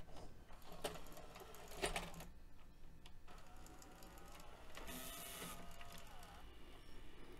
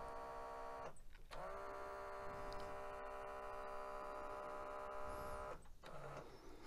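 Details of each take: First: Mitsubishi HS-U760 Super VHS VCR (1996), after replacing two belts that had caused a whirring non-working fault: crisp clicks and a brief motor whir as the cassette ejects and reloads smoothly; tape mechanism working normally. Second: 1996 Mitsubishi HS-U760 S-VHS VCR, thrift-store unit arriving non-working, at power-on: steady mid-pitched whir for about four seconds as capstan spins freely; typical sign of a missing or broken drive belt.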